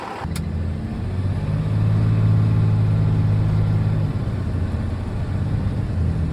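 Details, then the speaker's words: Commercial box truck with a warm engine during a pre-sale inspection, transmission checked for smooth operation: engine pulls evenly with a smooth low drone, no clunks, flares or slips; transmission operating normally, butter smooth. "And let me tell you, that is butter smooth."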